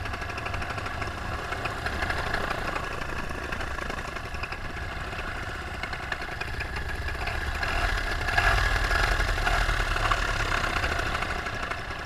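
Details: Paramotor two-stroke with under an hour of flying time, in flight on a full tank, throttle held wide open: a steady, even high-revving drone with no surging or sag. This is healthy full-throttle running before the later RPM drop, bogging and engine failure.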